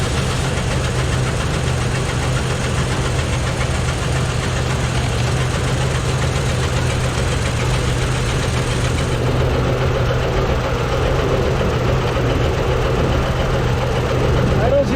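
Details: Engine after valve cover removal, some valves found dry and sprayed with penetrant, all moving; heavy uneven idle with deep knock about three to four per second, owner thinks internal, maybe the cam; unconfirmed.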